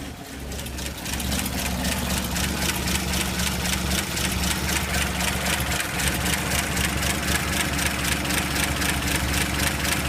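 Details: 235 engine with a rough idle after a carb rebuild, new ignition coil, plugs and wires, valve cover off: uneven, loping idle with busy top-end ticking. Owner suspects a leaky head gasket; rough idle.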